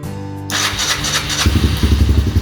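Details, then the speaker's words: Older Honda Fourtrax ATV bought as a no-start, unused for a while, started on a chilly day after spark check: brief crank, then catches into a steady, even single-cylinder beat with background music; may later need starting fluid; normal start. "it is running. Yeah. We're gonna give her a little gas here in a second. Oh, right on. So this thing hasn't been ran in a while."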